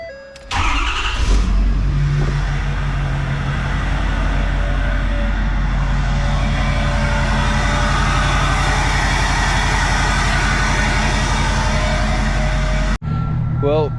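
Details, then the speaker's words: King Ranch diesel truck restarted after No Limit Fab turbo, S&S DCR conversion and GDP piping, in a snowstorm: catches quickly, steady even idle about twelve seconds, no knocks or rattles, then clean shutoff; running fine, no leaks. "got the snowstorm going so we're not definitely not driving anywhere but she's running and so far no leaks so I'm pretty happy"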